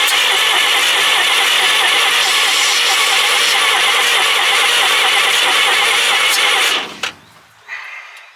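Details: Old Chevrolet Blitz truck six-cylinder, sitting for years, start attempt: runs steady and even for about seven seconds then shuts off cleanly with no misfire or stumble; engine sounds healthy.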